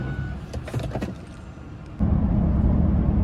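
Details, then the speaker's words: Ford F-150 5.4/4.6 2V under power-brake heavy load after replacing cylinder 7 coil: idle jumps to loaded drone with uneven stumbling beat, continuous misfire with check engine light; cylinder 8 ignition coil completely dead. "boom it just came back it started misfiring under heavy load and the check engine light came on and now it's a continuous misfire"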